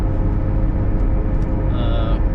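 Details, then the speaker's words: 2009 Chevrolet Cobalt SS turbocharged, manual, cruising on road: steady low droning hum under road rumble from worn wheel bearing; a bit rough but still drivable. "wheel bearing. Sorry. I don't know why I can't think, but you can hear the wheel bearing and whatnot. It's got a bit of a hum to it."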